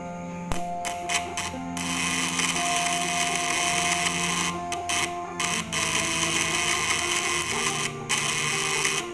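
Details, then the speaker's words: Contact-breaker (platina) fish-shocker with primary winding of 1.8 mm wire, 5 layers, during an ignition check: a steady high buzz with a dense rattle and short breaks. Slight contact sparking indicates roughly normal function. "Ini aja percikan sedikit, itu menandakan platinanya agak berfungsi dengan normal guys. Sebenarnya platina yang normal itu dia tidak ada percikan, cuman suaranya kecil."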